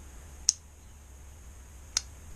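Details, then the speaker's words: Aprilia Pegaso Cube 650 no-start, battery fully charged, starter cable had come loose: two sharp single clicks about a second and a half apart with no cranking; faulty starter solenoid needs replacement. "er go but I think it's definitely going to be a replacement solenoid"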